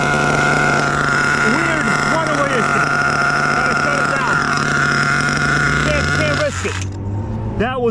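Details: Rebuilt HPI Savage 21 nitro truck with a Dynamite 28 engine: constant high scream that never backs off, then abruptly drops away; a runaway throttle, suspected loss of radio signal/electronics.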